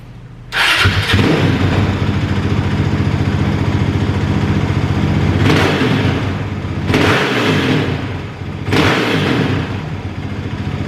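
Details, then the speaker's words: Kawasaki KLX450R, fuel screw about 3¼ turns out, idle lowered after it ran hot; three sharp throttle blips, quickly back to idle without hanging, crackling and shooting flames from the exhaust; still suspected a bit lean: exhaust popping on throttle blips. "when you blip the throttle it doesn't hang a high idle it comes back down like it shoot pretty quick but it's still shooting flames out of the uh out of the exhaust i think uh that's still a bit lean"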